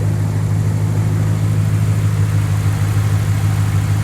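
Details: 2nd-gen Ram 1500 after replacing the squeaky serpentine belt: smooth even low idle with no chirp or squeal; belt drive quiet and running fine.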